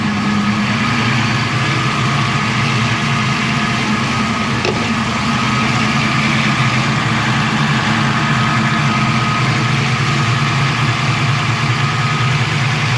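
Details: Foxbody 347ci V8 with Holley Terminator X, just after a fuel pump upgrade from a 155 lph pump. A steady, even idle with a smooth low rumble and no misses or ticks: normal idle.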